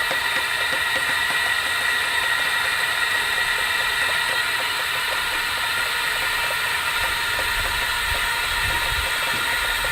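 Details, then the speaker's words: LSR light-ray UV spot repair packer for 6-inch pipe, secondary inflation stage taking pressure to about 8 psi; constant loud airy hiss with steady high whistle, no pulsing: air supply inflating packer normally. "so now you can move to the secondary stage that we have over inflation and take the pressure up to about and the six inch to about 8 psi"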